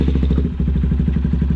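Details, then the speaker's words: Honda Grom the next day with a DHM tune, new intake filter and bigger intake tubing: quick, even low thumping with no misses or rattles and a noticeably deeper, throaty intake note, no check engine light; normal idle. "right away, the first thing I notice is it's a lot deeper tone. Everything works perfectly, no check engine light, it's idling perfectly fine, and it is definitely a much deeper tone."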